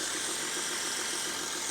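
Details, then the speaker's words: 2011 VW Touareg 3.0 TDI V6 diesel, 176 kW, ZF automatic, 4x4: cold start below 50°, fired within half a turn, heard at the open engine bay. Even, quiet idle with soft clatter and no timing-chain rattle or belt/roller noise; engine healthy. "Йду я до підкапотного простору і слухайте як працює в нас що як працює двигунчик як працює взагалі рімні ролики все працює тихесенько гарнесенько V6 TDI рівненько просто ідеально"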